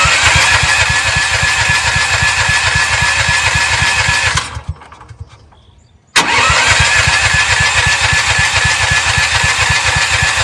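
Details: CAT RP7500 generator, long sat, choke out, fuel on: rapid even starter chugging, a pause, more cranking, never catches; suspected flooding and far too much oil in the crankcase, not confirmed.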